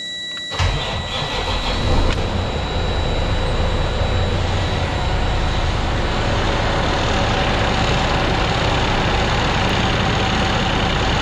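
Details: Cummins ISX truck diesel after overhaul with new engine block (originally high coolant consumption and overheating), first start: brief crank, quick catch, steady even idle with no knocks or misses; started easily, healthy.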